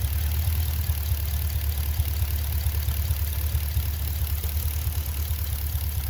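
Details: Pontiac G8 6.0 L76 V8 at idle: deep steady rumble with a faint quick ticking riding on it; owner asks whether it is lifter or rocker noise, exact source not pinned down, and also hears a hiss.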